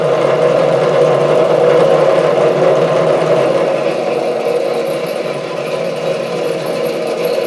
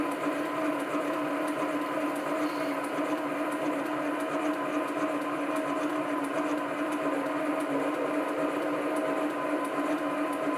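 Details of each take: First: Chinese SC2 mini lathe parting off 316 stainless steel at half the usual chuck speed: harsh, uneven chattering rasp that fades as the workpiece slips in the chuck, knocking it off centre. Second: Chinese SC2 mini lathe, 1.6 mm HSS parting tool, test cut on brass to check tool centring: steady even cutting hiss, constant mid tone, no chatter or squeal; normal parting cut, tool thought to be exactly on centre.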